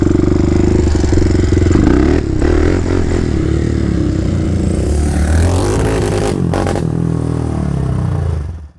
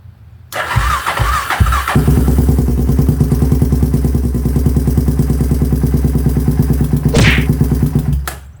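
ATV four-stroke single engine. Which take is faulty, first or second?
second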